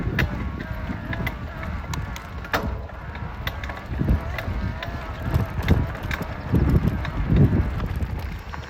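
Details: Specialized Levo e-bike drive unit giving irregular, heavy, dull clunks and creaks with each pedal stroke and when spinning, almost as bad with the power off; a failure returning after repair, cause not found.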